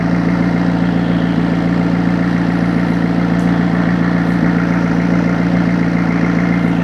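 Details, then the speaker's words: McLaren 650S V8, suspected blown engine or overfilled oil, running after new ignition coils and spark plugs: an even, steady idle with no misfire. Oil smoke from the manifold is clearing; the oil pressure switch reads 0, likely a faulty switch. "I'd let it run for a little bit. You know your oil level is correct, right? Yeah, sounds nice though. It's definitely clearing up."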